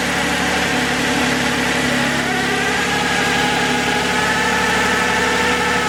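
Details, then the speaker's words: 2011 Toyota RAV4 V6 FWD needing a transmission, just refilled with three quarts of Valvoline MaxLife: steady whine with fixed tones over the idle, which quits in Drive; automatic transmission pump whine. "yeah we still got a line there [Music] I'm not sure oh there we go I just realized you guys never saw how it drove so let's do this [Music] it's amazing how the whining quits when you put it drive"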